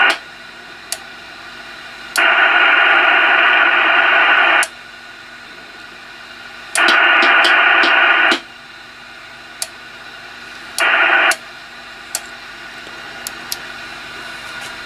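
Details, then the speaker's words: Icom IC-745 HF transceiver receiver dead on some bands: stepping through bands, hiss comes up on some and drops to near silence on others; the PLL is not locking on the dead bands. "what this is telling me just by listening to the receiver and running through the bands that you can see some bands are working"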